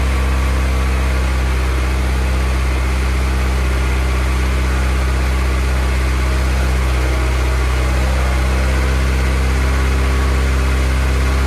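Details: Honda F24 engine, first start of the newly installed motor before tuning, warming up to burp the coolant: a smooth, even idle with a steady low rumble and no knocks, ticks or misses. Normal idle.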